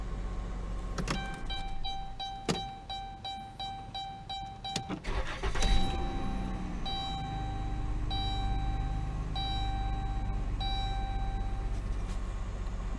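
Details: 2011-2016 Dodge Grand Caravan/Chrysler Town & Country 3.6L after workaround for failing TIPM fuel pump relay (previously started and died): door chime pings, short crank, catches quickly and settles into smooth steady idle; starts and runs normally.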